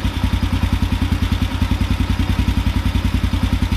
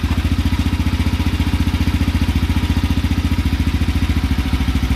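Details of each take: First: Carburetor idle drop procedure at idle: after the mixture screw is backed out a quarter turn, the rpm picks up and holds steady. The idle is an even, steady thump of about 3.5 beats a second, with no hunting or stumble, at the sweet spot. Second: Carbureted motorcycle single with the idle adjustment screw set as low as possible to begin the idle drop procedure, around 500-600 rpm. The beat is slow and lumpy, just over two firings a second, barely holding on.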